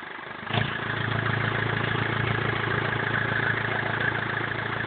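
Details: BMW E46 320d 150 hp diesel, first start after overhaul fixing the well-known swirl flap problem: catches in half a second, then a steady, even idle clatter with no knocks or misses; normal idle.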